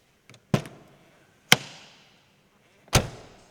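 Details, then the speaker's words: Lotus Carlton doors on one side: three solid single thuds, each door shutting cleanly with no rattle and no bumping on the striker plate, door not moving up or down; normal door closing. "Right sound, and the door actually doesn't go up or down. There's no bumping on the striker plate as the door opens and closes."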